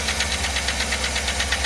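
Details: 2008 5.3 V8, fully cold start, oil pressure 40: fast light ticking over steady idle, heard with hood open; brought in for lifter noise, a common problem on these engines, collapsed lifter suspected.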